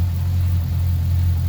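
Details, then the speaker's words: Twin-turbo Chevrolet Caprice PPV after repairs to exhaust leaks, leaking wastegates and melted flex pipe: idle is now a steady, even low rumble, quieter up front with no exhaust leaks and no knocks or misses; normal idle. "idle is way better no more exhaust leaks way quieter up front"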